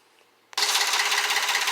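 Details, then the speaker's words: 2007 Honda Pilot, 165,000 miles, running after the P2647 fix: light, even tick about five times a second; likely needs a valve adjustment. "even though it sound like a truck the car has like one hundred sixty five thousand miles so lightly it needs a valve adjustment"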